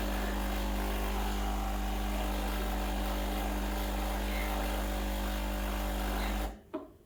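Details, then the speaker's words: Breville Dual Boiler BES920 espresso machine, freshly serviced, running a single blank shot of hot water without coffee to warm up: steady, even low pump hum for about six seconds, then clean cutoff; normal pump operation. "i like to start with a blank shot so that means running some hot water without any coffee in the hangar just to warm things up"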